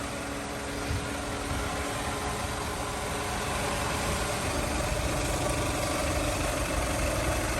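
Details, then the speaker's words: 2000 Toyota Camry LE, 173,000 miles, fresh Aisin timing belt, hood open: engine at higher RPM, steady and even with constant whoosh of the auxiliary radiator fans, no knocks or misses; normal running with fan on. "Higher RPMs, and now you can hear those auxiliary fans again."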